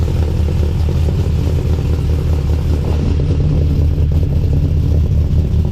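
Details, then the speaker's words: Cold start of a 6.0L LY6 swapped, BTR-cammed Silverado (cam, lifters, valve springs) after adding a scrap resonator and replacing a rotted exhaust section; deep, loud, choppy lope, steady and even, sounds healthy and much better. "Huge difference. It actually sounds really good. Wow, I can't believe that little resonator made that much of a difference."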